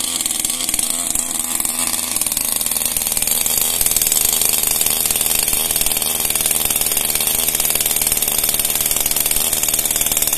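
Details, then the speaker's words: Brand-new Max Extra small chainsaw on its first start: a high, buzzy two-stroke note holding steady with no misfire or rattle, running normally. "bu Max Extra küçük motorlu testere şimdi ilk çalıştırmasını yapacağız"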